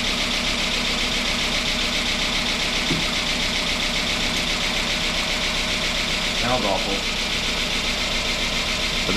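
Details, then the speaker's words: 2005 Chrysler 300C AWD 5.7 HEMI on first start after repair of a dropped valve seat, destroyed piston and head, and metal in the intake; no coolant, weak battery. Rough idle with fast light lifter ticking while they fill with oil. "it's idling hear all the lifs Bing for oil so I'm going to shut this down for now"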